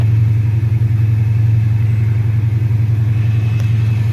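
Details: Dodge Challenger SRT8 with Procharger F1A-94 supercharger, real cold start at 75 degrees: steady, deep, even rumble at idle with a faint high blower whine on top; healthy supercharged V8 idle.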